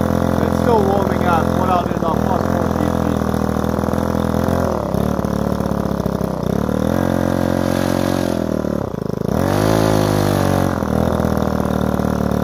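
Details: Repaired Ryobi two-stroke strimmer started on choke after priming the bulb, carburettor screw given a quarter turn; speed sags and picks back up several times, nearly stalling; unstable, blubbery idle, owner thinks fine tuning will fix it.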